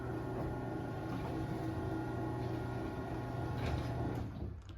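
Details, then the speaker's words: LiftMaster 8355 garage door opener after replacing the Torque Master with extension springs: smooth, steady low motor hum with an even drive for about four seconds, then a clean wind-down; quiet, healthy run. "Anyway, this door is running really good now, and obviously the motor is extremely quiet."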